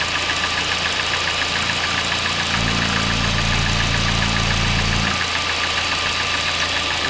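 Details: Hyundai i40 / Kia Sportage 2.0 G4NA engine with cylinder scuffing found by endoscope, at idle: a regular light knock three to four times a second. Owner suspects coupling or chain; unconfirmed.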